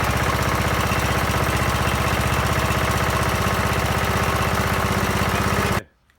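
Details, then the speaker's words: Lawn mower engine after half rebuild to fix no compression: steady even chugging about four beats a second, no misses or knocks, cuts off cleanly; healthy running. "oh yeah sounded good try again all right that sounded pretty good it was a bit a little bit chuggy there at the start but it seemed to clear out"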